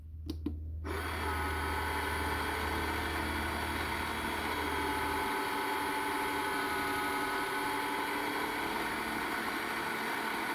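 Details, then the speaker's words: Clack CI valve on a simplex water softener being put into service during flushing; the motor turns while stepping, and steps cannot be skipped then. A click, a steady hum, then the drone drops out after five seconds: the valve motor is advancing normally. "When it's flushing and you hear the engine, the motor is turning, then you cannot skip."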